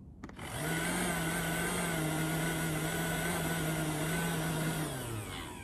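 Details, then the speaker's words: Popper coffee roaster with a manufacturing-defect fan motor that fails after about 30–80 roasts: the low fan hum wavers and sags unevenly, then the fan stalls and stops, though it spins again when hit; failing fan motor. "you can clearly hear the fan struggling oops and there it just stopped in fact i bet you yeah if you hit it it spins so if this crops up in your machine it's a problem with the fan motor"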